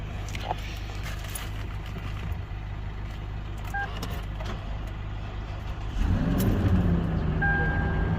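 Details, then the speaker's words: Toyota Lexus LX570 V8 that would not crank or start, after refitting the tested starter solenoid switch: brief even cranking, then it catches at about six seconds and settles to a steady clean idle; normal crank and start. "गाड़ी start हो गया है।"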